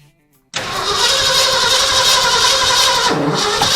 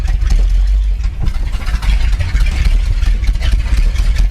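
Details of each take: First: 1979 Ford F350 V8, first start attempt after about 15 years parked, with fuel squirted down the carburetor. Harsh, ragged roar that never settles into an even beat; the plug wires were in the wrong firing order. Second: 1979 Ford F350 one-ton V8 running after about 15 years parked in a field, with the carburetor rebuilt and oil pressure good. Deep, steady V8 rumble holding an even idle for ten seconds before shutting off, with no knocks or misses.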